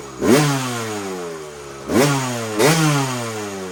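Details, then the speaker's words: 2001 Kawasaki KX250 two-stroke after moving the carb needle clip up one position to leaner: three quick throttle blips, each sliding back to a burbling idle; owner thinks it got leaner and ran only slightly better, still sounds rich. "it seems like it definitely got a lot leaner and it seemed like it ran a little bit better the first time but not much"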